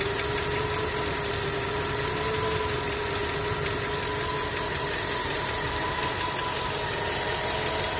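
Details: Skoda 1.6 BSF petrol at steady idle: fine, even ticking knock with a thin high tone; knock from inside the engine, cause unclear.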